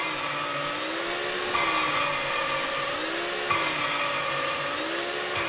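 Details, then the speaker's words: Lapping valves on barn-find Ford 390 FE cylinder heads with a drill and grinding paste, not pulling hard: steady high drill whine with gritty scraping easing and returning about every two seconds as the paste cuts the valve seat. "I use a drill. Turn this thing right here. And I don't pull against it real hard, but you can hear it"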